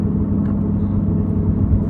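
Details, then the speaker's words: Chevy Cruze on test drive: deep, loud steady roar growing louder, more pronounced turning right and fading turning left; failed driver's side front wheel bearing. "put that roar that really loud kind of roaring noise you're hearing"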